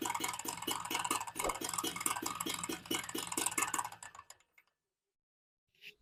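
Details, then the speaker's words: XL Super motorcycle after full engine rebuild with new crank, clutch and bearings, at low idle, mic near engine; fast light metallic knocking like a worn clutch shoe; excess crankshaft play, engine to be reopened; crankshaft play knock. "நமக்கு ஹைலிங் நிக்கும் போதுதான் வந்து நமக்கு அந்த sound வருது clutch sound மாதிரி வச்சுக்கோங்களேன்"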